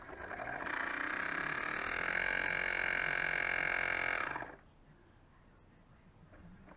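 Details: Dishwasher after pump repair and reassembly, testing drain cycle with little water in it: steady raspy buzzing hum about four seconds then abrupt cutoff; pump sounds noisy.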